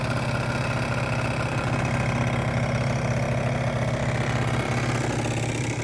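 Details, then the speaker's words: 50cc two-stroke scooter idling hot, original airbox refitted: steady, even buzz with no rattle, bearing sounds good, little vibration; runs healthy. "And sounds good. Sounds pure and simple and uh bearing sounds good. Doesn't vibrate very much either."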